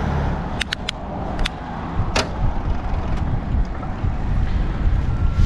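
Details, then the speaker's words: Gazelle Ultimate C8 HMB e-bike, Shimano internal gear hub with Gates belt and Bosch Active Line Plus motor: sharp clunks and brief rattle through wind rush when downshifting several gears while pedaling; hub hangs up until pedaling stops. "i don't know if you could hear that loud clunk and rattle but i just tried to downshift a bunch of gears while i was pedaling and it kind of got hung up there didn't kick in until i stopped pedaling"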